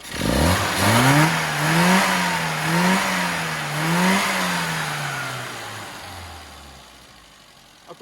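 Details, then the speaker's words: Mini 998 engine with K&N filter, carburettor needle replaced with a profiled used one and part-throttle fuelling set to stoichiometric across the rev range, formerly misfiring: four quick clean rev blips rising smoothly and dropping back without stumbling. "standard engine with a k n filter on it that sounds really good"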